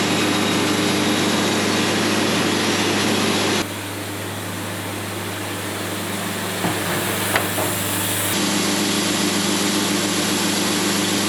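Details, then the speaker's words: Sawmill cutting a log: engine drones under the cut, then a short sharp zip as the bandsaw blade hits a nail, damaging the blade set; cut turns rough and uneven afterwards. "Every time I hit metal on a log, I would say at least 9 times out of 10, I can hear it exactly when it happens. You hear that little zip that goes on the blade, and you start hearing the set of the blade be messed up and it doesn't sound right."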